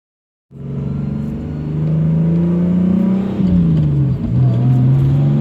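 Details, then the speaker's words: BMW E46 turbo build on a driving pull before the boost spike to 14 psi that later damaged it: engine pulls cleanly, the note rising smoothly with no knocks or misses; ran great with the AFRs dialed in. "But yeah, that last pull, this car felt great. It ran real good."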